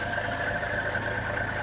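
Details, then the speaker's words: 1949 Rover 75 P3 export model, 2103cc inlet-over-exhaust engine, heard at idle with the bonnet open: a smooth, even idle with a steady light belt whine over a soft engine hum. Sounds lovely, healthy. "And mostly what you can hear is the belt."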